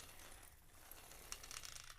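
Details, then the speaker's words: Nitro RC car with a modified Picco .28 engine, rolled on the ground to check gear mesh: light, even whirr with soft ticking and no grinding or binding, so the mesh is perfect. Too tight or too loose would sound noisy. "hear that perfect mesh"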